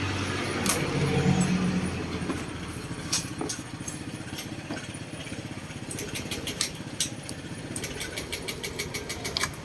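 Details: 2019 Honda Scoopy i with a no-start: the starter cranks in rapid even pulses, about four a second, but the engine never catches, even with a new spark plug; traced to low fuel pump pressure.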